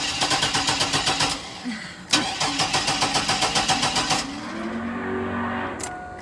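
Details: 1999 Chevy Blazer, 141,000 miles: starter cranks in rapid even pulses about four per second, catches briefly twice, then dies; starts but won't keep running, cause still unknown.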